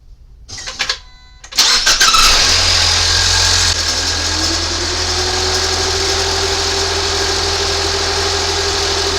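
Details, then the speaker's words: 2019 Ford Fusion 2.0L EcoBoost after alternator replacement: short crank, clean catch, steady even idle, faint belt tone from coolant on belt briefly then levels; alternator charging, no dashboard warnings, normal. "Alternator's charging good. No problems on the dashboard. All good."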